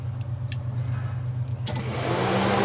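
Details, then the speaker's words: 2013 Polaris RZR 800 with power applied via power probe; low hum, a couple of clicks, then the cooling fan rushes up and keeps running. "can see dash lights up and the fuse uh i mean uh cooling fans are running all the time but that's not our problem right now"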